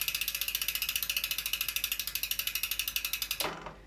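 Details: Bicycle disc brake after the caliper was realigned and its bolts tightened alternately. The spun wheel ticks over the freehub pawls at a steadily slowing rate with no scraping or hiss from the rotor. Disc brake running free without rubbing.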